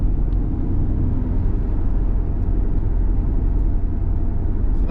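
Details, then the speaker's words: 2008 Ford Escape driving straight: a steady low droning hum under road noise that feels different when turning, louder as weight shifts onto the bearing. Worn front press-in wheel bearing. "as we're going straight it's just kind of a hum if I turn into it it's more it feels different"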